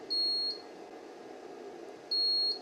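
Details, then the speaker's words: Lalela Lal-600W-Plus LiFePO4 pure sine wave inverter trolley loaded to about 550 W: two high, even beeps about two seconds apart, sounding more often as load rises, an overload warning. "okay I'm at about 550 Watts the alarm is making a sound more often now"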